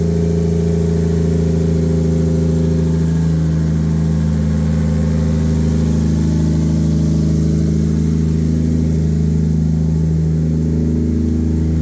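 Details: Normal idle and revving: an 800hp 2JZ turbo Lexus IS300, wrecked in a front-end collision and sitting unused, started on a replacement battery with no coolant and was run only briefly. Deep, even idle with a couple of smooth revs rising and falling cleanly, no knocks; healthy.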